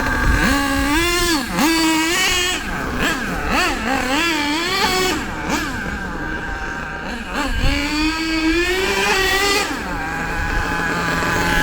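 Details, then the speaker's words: HPI Savage nitro RC truck with an LRP ZR32 engine after high- and low-speed needle tuning: quick rev blips that drop back to a steady tickover each time; low-speed mixture and tickover judged about right. "I don't think that needs any more on the low speed. I reckon that's about right. As far as the tick over goes, I'd say that's about right as well."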